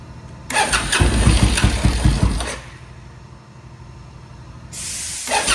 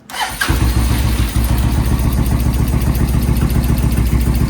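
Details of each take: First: Suzuki VS1400 Intruder V-twin, cold start on choke after carb work and cleared pilot jets, rear cylinder previously not firing: engine catches with an even, lumpy twin beat and restarts cleanly; both cylinders now firing. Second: Suzuki VS1400 Intruder after carb work, on choke with fresh battery and primed fuel pump: catches then lopes unevenly on one cylinder; front cylinder warming, rear cylinder ice cold and dead.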